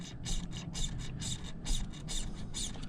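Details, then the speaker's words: Older Troy-Bilt push mower with priming and governor issues, before carb work: crisp, even squish-clicks about twice a second as the primer bulb is pressed. The primer is pumping and sealing properly. "but this primer on this is working extremely well which sometimes they're hard to do because a lot of times these housings they get over tightened and the gasket is hard to get a good seal on and the primer doesn't work"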